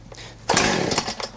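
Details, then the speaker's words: Warm chainsaw, primed, compression release set, choke on: one short sputtering burp under a second after a pull; false start showing it should now come off choke. "there we go all right the saw now should be taken off a choke cuz it burped and it's ready to be started off a choke"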